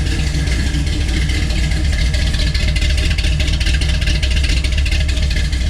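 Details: Chevelle V8 after resealing the intake, idling with its new exhaust and mufflers fitted: deep, steady rumble with an even beat and no misses or ticks. Normal idle.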